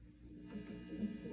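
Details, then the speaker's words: PRS SE guitar with humbuckers, already coated in shielding paint, buzzes with steady 60-cycle mains hum through a high-gain amp, with faint string touch; cause suspected, not confirmed. "this customer is upset that this prs um is buzzing too much even though it has humbuckers"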